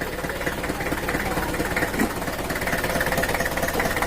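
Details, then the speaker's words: Mitsubishi Kuda 4D56 diesel at idle after the repair, started briefly without the radiator: a steady idle with an even, soft clatter and no knock left, clean like a standard diesel; normal idle, injection pump still to be adjusted. "suaranya Udah adem udah enggak ada tombol topnya Terus yang di bawah udah yang itu udah lancar enggak oleh suaranya Udah bersih layaknya standarnya diesel"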